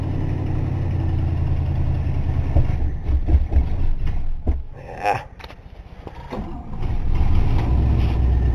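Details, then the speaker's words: Old car, long unused, cold, not primed, started by pumping gas: engine runs unevenly, surging with throttle blips and sagging almost to stall between; cold engine won't hold idle on its own. "she ain't been running a while and she's obviously cold as you can see so she don't really like to stay running"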